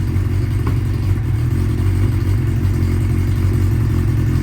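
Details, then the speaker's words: 1992 Honda Nighthawk 750 carbureted four, unridden 2–3 weeks, warming up on choke: a fast, even idle with a busy low rumble and no dips. Idle sits too high and is to be turned down at the idle adjustment knob. "Yesterday took it out, and it was out on a little high, so we're gonna see what's up with that, fix it if need be"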